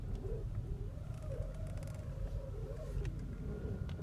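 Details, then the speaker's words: Vehicle without a power steering bleeder valve, fluid reservoir full: wavering mid-pitched whine rising and falling as the steering wheel turns, over a low rumble; air trapped in the power steering system, before bleeding. "before we get started here's a clip showing the noise that the power steering was making that indicated there was air"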